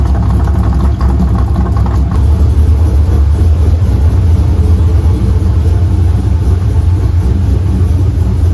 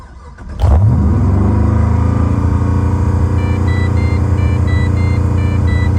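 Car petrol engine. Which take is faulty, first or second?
second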